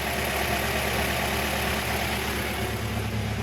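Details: Mazda Miata 1.8 L with a cylinder 1 misfire despite new plugs, coil packs and ignition wires, a checked cam sensor and vacuum leaks, refurbished injectors and new fuel: uneven, lumpy idle with about three stumbles a second. Injectors suspected.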